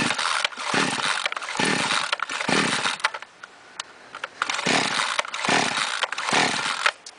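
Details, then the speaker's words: Chainsaw brought in not starting, with petrol leaking from the muffler, gives repeated rope pulls that never catch; its spark plug is soaked with fuel. The cylinder is flooded from improper starting. "Свечка наша вся в бензине залита. Человек, скорее всего, просто не умеет заводить и, соответственно, залил пилу."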